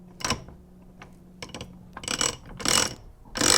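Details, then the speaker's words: Manual transmission reverse engagement while the shaft is spinning: about three harsh gritty grinding bursts as reverse is forced against spinning teeth, stopping once the straight-cut reverse gear finally meshes and locks in. "you can hear that sound is when you're trying to put it in reverse and it's not quite going and then it finally locks in and you're good to go"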